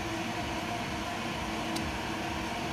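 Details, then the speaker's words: Vertical machining center (VMC) running: steady mid-pitched whine over even hiss, changing with operation; owner suspects the X-axis servo, unsure if normal; Y-axis servo previously replaced. "I think the z-axis I mean the X x-axis Servo is the only one making noises I I really don't know if that's okay or"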